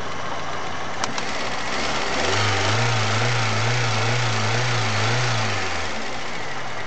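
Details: Chery Amulet at idle: regular knock about four per second over shaking low rumble, excessive idle vibration; knocks on sharp revving, oil pressure light sometimes on at warm idle; cause unknown.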